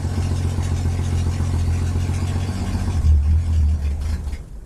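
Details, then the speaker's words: Ford Falcon on its first attempt to drive, just after starting: a low, uneven idle sags and fades out as the clutch is pushed in and a gear is selected. Engine stalls. "I just pushed in the clutch and started to put in gear and it ran out of oomph."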